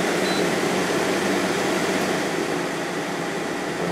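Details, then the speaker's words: 2014 GE 8,100 BTU window air conditioner (Gree compressor, KB fan motor, clean condenser coils) switched from medium to high fan: steady rushing air with smooth even hum, no rattles or squeals; normal operation. "got the GE running on medium right now let's go up to high speed thing is putting out a ton of air"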